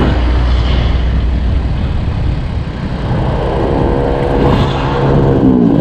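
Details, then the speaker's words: Old C700 motorcycle climbing toward Mount Telomoyo in third gear: the engine labours and pants, its note cutting out and stuttering before picking up again; sputtering under load, and the bike later broke down and needed towing. "Suaranya terputus-putus dan menjadi tersendat-sendat, saya sedang melaju kencang lalu tiba-tiba mobil ingin berbelok."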